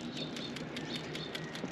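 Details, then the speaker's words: Healthy new PCV valve on a Subaru engine shaken by hand, light crisp rattle like tiny marbles about five times a second; the old valve had plugged and stuck again within a week and clunked instead. "Hear that? Like itty bitty little marbles. That's the sound of good one."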